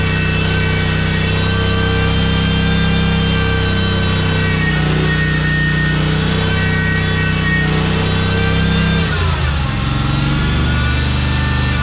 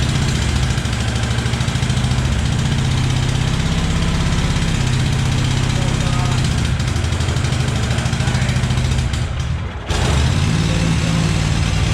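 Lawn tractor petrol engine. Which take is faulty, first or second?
second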